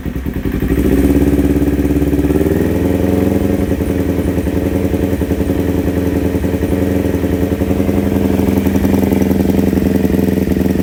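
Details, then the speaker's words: Kawasaki Ninja 250 carbureted twin before repair, air filter removed, revs raised gradually: a lumpy uneven idle with soft pulsing, light pinging and stepped, staggered revving. Strong vacuum pulses are felt at the intake, pointing to carburetor imbalance. "Selain ngeliktik itu sudah bertangga-tangga gitu ya pada saat kita mulai buka, Guys."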